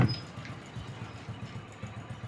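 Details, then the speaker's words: LED TV with a sound fault, speaker tested good on continuity: low, rough, distorted growl pulsing from the speaker instead of clean audio; the audio IC section is checked next. "घर घरा सी आवाज आ रही है जो कि हम पहले आपको हम दिखा चुके ठीक है"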